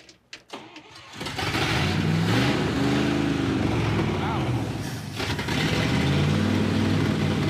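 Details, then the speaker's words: 1966 Dodge D100 pickup, running on gasoline after a water problem was solved; carburetor cleaning is suggested. It catches and settles into a fast idle with a steady puffing tick, about four a second, over the rumble: an exhaust leak. "Yeah, I do not remember this exhaust leak problem. It was probably there, but I don't remember it."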